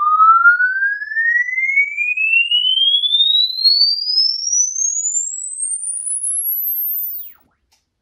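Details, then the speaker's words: Paradigm CC-390 center channel speaker on a frequency sweep with the suspect blown driver disconnected, using only the single midrange: a pure tone sweeps smoothly upward with no buzz or rattle, unlike before. "all right so yeah I'm not I'm not hearing anything like we were before"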